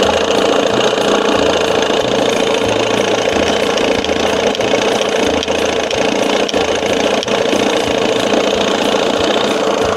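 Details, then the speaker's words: 1987 Johnson 6 hp two-stroke outboard back to normal after fitting a smaller jet, mixture screw out 1.5 turns, timing near -8: steady, even buzz at idle with no misses, surges or stumbles; sounds good, normal idle. "Well, you can already hear the difference. That smaller jet. Yeah, she sounds good."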